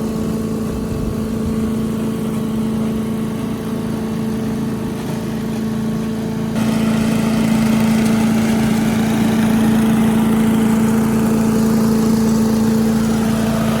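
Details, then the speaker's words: 1984 MTD Air Sweeper (model 245-692-000), 36 years old, flathead Briggs & Stratton 5 hp (engine model 130212-1731-01): smooth, even putter that picks up slightly midway and holds; healthy, though high speed possibly a little slow. "It ran at full speed just fine, idled down, sounded really nice, better than most newer engines actually. So the engine's in pretty good shape."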